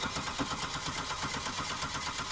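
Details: 1998 Buick LeSabre with VATS key, crank no start, starting fluid didn't help: fast even starter churn with regular pulse, no firing; no spark at coils while tachometer moves, crank signal probably present.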